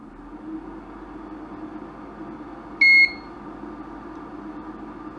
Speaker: only got one beep so far so that sounds good